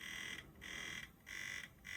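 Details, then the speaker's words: PSP 3000 Monster Hunter model, UMD drive retested with a second sampler disc; repeated high buzzing bursts about every 0.65 s with short gaps; UMD drive faulty, fixable easily with backup drives. "But yeah, looks like we have UMD issues,"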